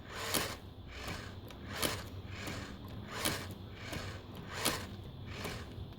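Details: Savox servo: sharp, dry clicks repeating about every second and a half, slightly uneven, over a quiet background; servo clicking, cause not identified.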